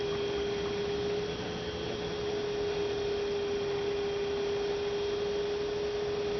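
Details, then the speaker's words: 2006 Toyota Prius coolant bleeding, late stage: electric coolant pump steady mid-pitched hum, very steady current, no gurgling while running, funnel level stable; air essentially bled out, normal. "Yeah, that's sounding pretty good. Very steady current, no gurgling sounds when it's running."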